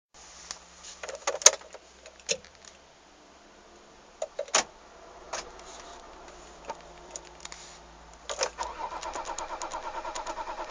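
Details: After key and door noises, the starter spins the engine with quick, even pulses but it never fires; crank, no start.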